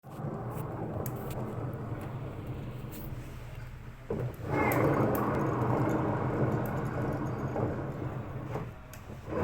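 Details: Hotpoint washing machine drum turning with a loud, steady rough rumble that eases briefly as it pauses; worn drum bearings, with spider and drum still intact.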